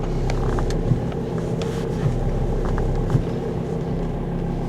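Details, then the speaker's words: Power steering held at full lock, engine running steady and low with no pump whine or groan after adding a power steering additive, following about 15-20 km of driving; the loud hum at full lock is gone. "никакого гол и вообще он пропал если даже вот руль закручивать до конца и держу даже в таком случае нету вообще никакого гол"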